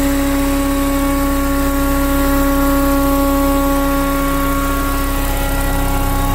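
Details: BMW Mini Cooper R53 with refitted supercharger: steady whirring tone over idle, constant through all rev ranges for 12 months; cause was a collapsed oil feed tube from rocker cover to supercharger starving it of oil. Fixed.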